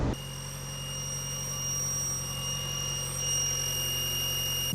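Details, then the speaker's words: 1990 Mazda Miata NA at idle: steady high-pitched whistle over low even idle; vacuum leak at throttle body to intake manifold gasket, confirmed by starting fluid raising revs; gasket then replaced. "i also just wanted to tell you guys how i found out i was having a vacuum leak the car started up and it made this sound"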